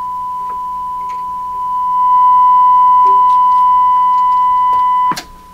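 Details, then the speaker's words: 1940s Canadian Red Cross tube radio on 100 volts, rough IF alignment with a signal generator near 437–455 kHz: clean, steady mid-pitched tone swells much louder as the IF stage is tuned, then holds. Strong IF test tone after adjustment. "just doing this roughly what a difference wow"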